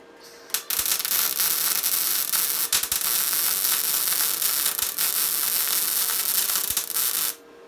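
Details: Tesla MIG 260 MIG welder joining two pieces of 3 mm metal, torch held slightly angled: steady, crisp fabric-tearing crackle with no heavy spatter, showing a correctly set welder.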